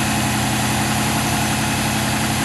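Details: LS1 turbo one-tonner on E85, revived after months dormant, with a new Walbro 525 pump replacing a worn 460 and cleaned injectors. Fuel pressure holds about 50 psi while it warms up; smooth, even idle with no misses, knocks or surging, now running properly.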